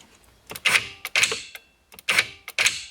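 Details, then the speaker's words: 2012 BMW E93 335i Convertible electric glove box, after greasing the sticking latch mechanism, arm and slide rail: short bursts of small-motor whirring with crisp clicks, even with no binding or grinding; actuator now working normally. "and now it works fine so i wouldn't take this completely apart unless you have to"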